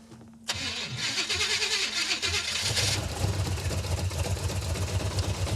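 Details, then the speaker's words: Super Camaro (1970/71) V8 after header gaskets, manifold, carburetor and timing work, firing order checked correct: lumpy uneven idle with stumbles and misses, runs awful; glugging fuel, rear float bowl set too high. "Wow. This thing runs awful. It runs even worse than when it wasn't running at all. It's because it's glugging fuel is why."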